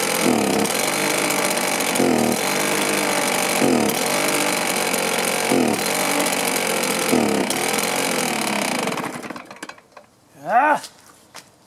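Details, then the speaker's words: Stihl BR450 two-stroke commercial blower that starts, runs, then dies: screams with uneven surging dips, then fades and dies around nine seconds; fuel filter clean but not pulling fuel; starvation from a blocked tank vent. "for some reason it's not pulling fuel I can hear the return in the tank but we're not pulling fuel anymore"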